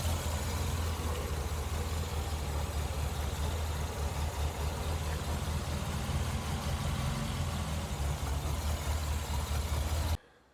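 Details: Le Mans green Mk1 Ford Escort idling after fitting a standard crossmember and new mounts in place of the World Cup competition crossmember, plus an electric fan kit. Low, steady idle with even firing and no shudder or knocking. The car no longer shakes. Normal idle.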